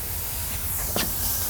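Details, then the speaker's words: Newly built shop air system fed by an 80-gallon BendPak TS-5 compressor, first pressurizing: constant high hiss with a sharper spurt as air escapes at a valve joint; fixed by cutting out the pipe and fitting a union. "it's actually at the valve I [Music] wonder all right there was a pretty good size leak there so I ended up cutting that pipe out and putting a union in"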